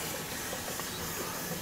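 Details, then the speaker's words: Old gas-conversion boiler (formerly oil) refilling; the feeder is doubtful. Steady sharp hiss of air escaping the bleed valve with faint water gurgles until water arrives; normal venting. "Letting the air out. You can see it. Just letting the air out. Here comes the water."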